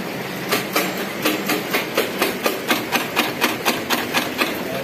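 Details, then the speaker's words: Honda Vario 110 scooter with a new battery: rapid sharp tek-tek-tek clicks, about four a second, with no cranking when the starter button is pressed, sometimes starting normally; cause attributed to the CDI. "Jadi ketika dipencet tombol starternya maka bunyi tek tek tek."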